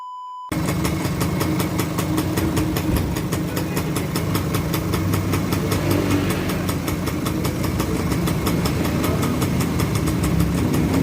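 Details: Yamaha V80 two-stroke at idle after replacing the worn spool; it had been sputtering and dying as if starved of fuel, fine on choke. Steady, even idle with light rapid patter, no misfire or stumble; running healthy.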